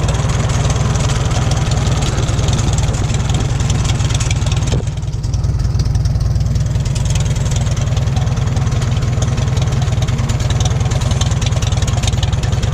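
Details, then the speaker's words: 1941 Farmall H tractor idling, slight leak and a little smoke: steady, even low thumping at about four beats a second, no misses or knocks; a smoothly running old engine at normal idle. "Yeah, it's a good running tractor."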